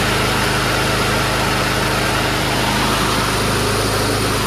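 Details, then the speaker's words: Powersmart self-propelled mower with Loncin single-cylinder engine; holds a steady, even drone with no surging, misfires or clatter, starts right up and runs healthy. "it starts right up sounds good doesn't surge"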